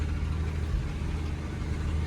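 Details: 1979 Ford F250, revived after sitting abandoned, now running on the restored mechanical fuel pump: deep, steady low rumble with an even beat and nothing rattling over it; V8 idling smooth and healthy.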